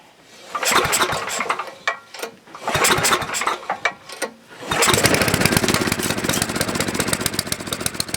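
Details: Coleman Powermate generator, full oil and gas, choke on, during reassembly before carb adjustment: a few rope pulls, engine catches and runs with a rough, uneven beat, then dies; engine starts then stalls.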